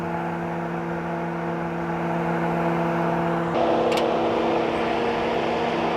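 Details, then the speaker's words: 2012 Camaro rebuilt engine idling after radiator repair, temperature rising, antifreeze smell and slight drip: electric fans hold a steady, even whirring drone over the engine; cooling fans running normally. "Yep, it's starting to get hot. Fan's still running."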